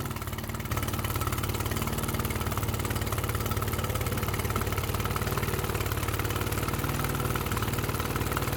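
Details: Mercury 9.9 outboard bought used for £120, which had not run, back after 8-9 weeks of repair with parts from abroad; test run: steady, regular putter about four beats a second, no stumbles or rattles; normal healthy idle.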